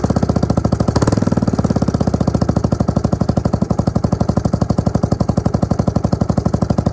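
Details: Suzuki LT250E Quadrunner single-cylinder quad after new fuel pump for fuel starvation and idle problems: crisp steady thump about four beats per second after brief throttle blip, settling into even idle; fixed.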